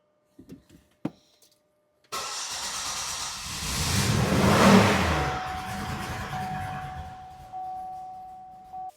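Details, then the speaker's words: 2005 Buick LeSabre 3800 V6, no codes, after O2 sensor change, runs fine then worsens; cranks, catches, flares, then misfires badly with a ragged stumbling note and dies; owner suspects crank sensor or ignition control module. "Now, I mean, it doesn't even want to start. It's misfiring really bad."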